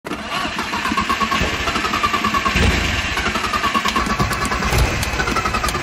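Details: Old classic VW Jetta, cold start, driver told to pump pedals, flooded engine suspected: steady rhythmic starter churning for six seconds, engine never catching or firing; extended cranking, no start.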